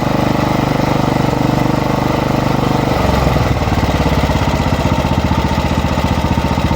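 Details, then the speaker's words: Lawn mower engine drops from full throttle into an uneven idle that wavers and hunts; it steadies when air is blown in, traced to a dirt-clogged fuel intake line. "Citādāk sāk staigāt šitas lo. Redzi?"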